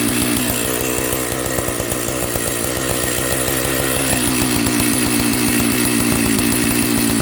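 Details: Old Jonsered 930 project chainsaw restarted at high idle: a steady two-stroke buzz with an even beat, no stalling or surging, so it runs. The owner suspects a spark plug connection issue, and the bearing underneath is bone dry.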